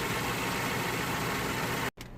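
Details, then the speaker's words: 2009 BMW 318i E90 (believed 2.0 petrol) after repair, engine bay plastics refitted: even, steady idle with no stumble or shake, brief dropout; previously rough and shaking from cylinder 3 misfire, now running smooth. "and the now as you can see it's running really smooth it's running perfect"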